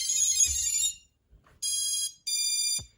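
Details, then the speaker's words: FPV drone ESC running BLHeli_32 or Bluejay firmware at power-up: three short bright buzzing phrases from the motors, a custom startup tune possible with updated firmware; ESC arming normally. "ிம்வேர் வந்து blue ஜேக்கு இல்லைனா பிஹெல் 32 அப்படிங்கிறது வந்து எதுக்காக use பண்ணுறாங்க அப்படின்னா உங்களுக்கு வந்து start பண்ணுறப்போ உங்களுக்கு வந்து ஒரு சவுண்ட் வரும்."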